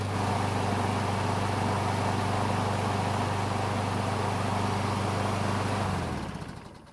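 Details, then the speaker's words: Craftsman mower with a Briggs engine that stalled when hot, after refuelling, running about three minutes on a hot day with the thermostat bypassing the choke. Steady, even drone with a smooth low thump and no misses or surging, then shut off; normal running. "so it's been running for about three minutes and on hot day like today the engine should be hot enough to activate the bypass"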